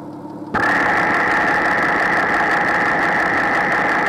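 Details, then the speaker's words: Porsche flat-six (986/987/996/997) heard at the bank 2 cam cover: engine catches and settles into idle with a light, dry ticking, characteristic of suspected cylinder bore scoring rather than lifter noise. "So now we're going to listen to the bank 2 cam cover and let you understand what that noise is supposed to sound like if you have what we believe is scored bores."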